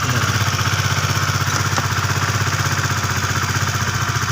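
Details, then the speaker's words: Honda Sonic 150 after cam follower repair using old connecting rod, radiator refilled: single-cylinder idle with steady thumps about four per second, slight noise, acceptable for a used bike; normal idle. "lumayan halus teman-teman ya ada sedikit ada sedikit pasar itu Ya wajar lah ya karena motor ini bekas Motor macet"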